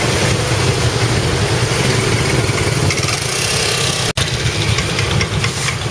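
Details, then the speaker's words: Honda PCX 160 scooter engine at idle: rapid metallic tak-tak pinging, louder when throttle is released to idle, smooth again under throttle; typical of fuel octane too low, rider uses regular Pertamax. "Penulis kaget soalnya apa? Itu biasanya ciri motor Honda yang pakai bensin oktannya terlalu rendah."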